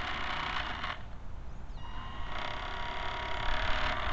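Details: Camera barge first test run with small motor drive: rough, irregular creaking and clacking chatter a couple of times a second from the noisy dog-bone motor-shaft couplers, which are to be replaced with flexible hose couplers.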